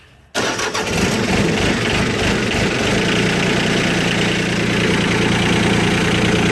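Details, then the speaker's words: Cub Cadet 154 Lo-Boy repowered with a Mitsubishi L3C three-cylinder diesel, with loader and power steering; cranks briefly, catches at once, settles into a steady, even clatter with no misses or knocks; healthy start and idle. "I'm going to go ahead and jump on the machine. I'm going to fire it up so you guys can hear it run."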